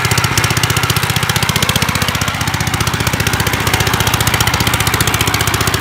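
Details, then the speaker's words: 1955 Gravely Model L single-cylinder, pull-started at mid throttle on choke after its corroded magneto points were cleaned. Exhaust broken off at the port threads gives loud, sharp, evenly spaced unmuffled pops at steady speed. "it's gonna be loud because of this exhaust issue but is it snapped off or what yeah the ear is broken off the threads there"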